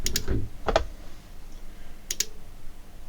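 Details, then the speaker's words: Cambridge Audio Minx Air 100 wireless speaker, no-power fault, opened on the bench and powered up: sharp rhythmic paired clicks every second or two with no hum and no lights as the supply keeps failing to start; switched-mode power supply suspected. "Can you hear that clicking? Rhythmic clicking. I think you can. And interestingly enough, now there's no flashing lights or anything else."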